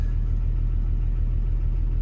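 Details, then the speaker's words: Construction machine diesel at idle: deep rhythmic knock with black smoke; knocking persists as injectors one to three are switched off via laptop, faulty injector still unidentified. "fire it up um and see what she does bit of a diesel knock bit a black smoke beling out of it too"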